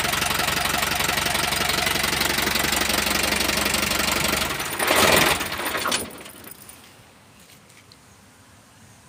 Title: Isuzu4be1 knocking sound